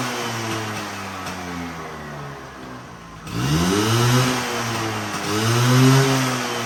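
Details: Vespa V9B1T 100 two-stroke scooter after carburetor rebuild; settles at idle then revs up twice, pitch climbing and dropping back cleanly; normal running.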